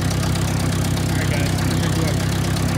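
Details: Ford 600 tractor in the field after its ignition was replaced, now audibly sparking. Low, even putter with steady firing pulses and no misses: normal idle.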